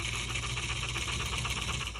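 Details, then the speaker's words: 1941 American Flyer Royal Blue set, 556 O-gauge running gear: weak chuff drowned by a steady buzzy motor whir after lubrication; old brushes found shortened and cockeyed, causing havoc; piston possibly worn, suspected, not confirmed. "you hear the motor more than anything here's the old brushes that's what fell out was this one they got so shorted and they got cockeyed in there and then just created Havoc"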